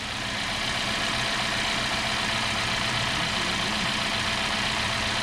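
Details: 2017 Hyundai Sonata at idle after P0303 misfire was traced to a bad #3 spark plug (misfire moved with the plug); even, steady idle with smooth hum and fine ticking, no stumbles or skips, running cleanly.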